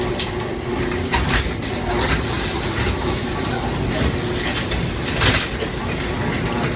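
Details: Garage door opening and closing before replacement: constant rattling rumble with scraping squeals and sharp clacks from worn, corroded metal rollers running rough in the track.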